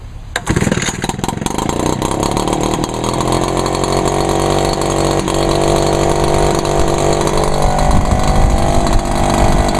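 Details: Echo PB-400E two-stroke blower, unused since February, choke on, 32:1 mix: a few pull-cord strokes, then it catches and settles into a steady, even drone; clean, healthy cold start.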